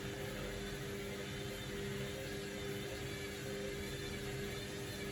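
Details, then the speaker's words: Candy Grand O Vita GV 139 D3 washing machine, 14-minute rapid wash with the pump running: a steady mid-pitched whine over slow drum turning as it struggles to balance a towel load before spin; cause suspected, not confirmed. "You can hear the way it's whining. It's struggling to get to a point where it thinks it can spin fast enough, although it might just go for it."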